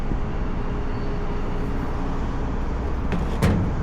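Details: AAON rooftop unit condenser fan after the broken rain shield (slinger) was replaced and the slow-starting unit came on: steady, even low whoosh with no rattling, one brief bump near the end; the fan runs normally.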